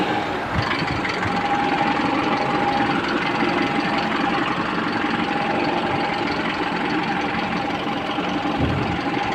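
Engine runs on steadily at idle with an even hum and no misses; it starts and keeps going normally now.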